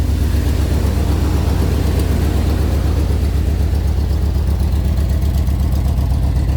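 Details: 1994 Chevy Blazer K5 V8, new starter after sitting 5 years: steady, fairly even idle with low throb, no knock, while white smoke and coolant come out the exhaust; owner unsure if head gasket or intake manifold gasket.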